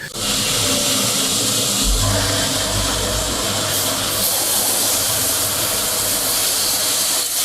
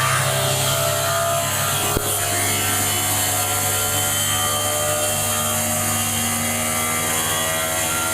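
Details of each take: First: Heat pump during refrigerant charging: loud steady hiss of escaping gas over a low rumble while the charging hose fitting is tightened and the hose freezes. Refrigerant is leaking at the charging hose connection. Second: Inverter heat pump compressor serving a small hotel, ramped from 30 to 90 revolutions per second (about 5,500 RPM); loud, steady hum with constant tones and no knocks. Normal at full power: about 27–30 kW heat from 5.2 kW input.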